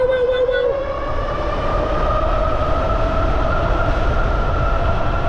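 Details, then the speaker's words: Dual-hub ebike (Bafang G62 1000W rear, G60 750W front, noisier and nearer GoPro mic) near top speed: steady oscillating motor whine rising slightly over wind and road rumble, normal for these hub motors. "and that's one of the dis advantage of these motors is like when you get them going and they're kind of up towards their top speed they just get noisy with that that oscillating noise"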